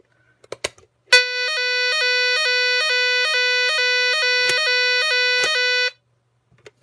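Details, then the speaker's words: Nugelec NUG31218 type 4 fire alarm panel on test, mains cut and battery apparently flat: shrill electronic tone dipping about twice a second for five seconds, then silence; siren sounds oddly, one way then another. "Alors je sais pas si vous entendez, mais la sirène elle fait un drôle de bruit. Elle sonne d'une manière et après..."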